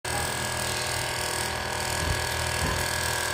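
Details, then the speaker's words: AC/DC battery-backup aquarium air pump: a steady, coarse buzzing hum with a rattly edge throughout; the aerator has become noisy and vibrates, probably something loose or worn inside. "Berisik sekali, teman-teman. Aerator saya mulai berisik. Yang satunya lagi juga berisik."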